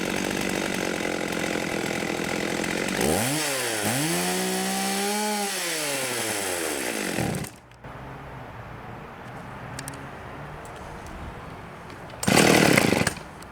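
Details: 1989 Husqvarna 50 chainsaw, sat years with old gas, after carb clean and tune-up: picks up crisply, climbs to a steady high scream for a few seconds and settles cleanly, no stumble or bogging; healthy.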